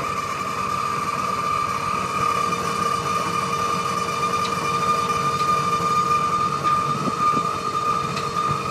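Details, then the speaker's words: Three-stage hydraulic dump bed lifting a load: steady high even pump whine as cylinders extend, slow to rise; owner suspects fluid is a little low, unconfirmed. "away this thing goes all the way up takes a little while but hey better than shoveling right"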